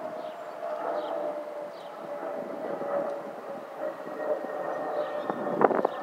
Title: Airbus A320 family FOPP whistling sound